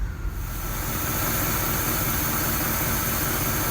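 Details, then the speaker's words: 1965 Oldsmobile F-85 Cutlass V8, running after fuel-delivery fix with old fuel mixed with new: steady, even rumble with no misses or stumbles, settling smoothly; normal idle. "can't believe how smooth this thing is running. That motor is not skipping at all."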